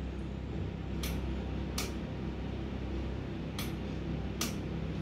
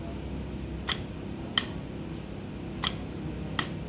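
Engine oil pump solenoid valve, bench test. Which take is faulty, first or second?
first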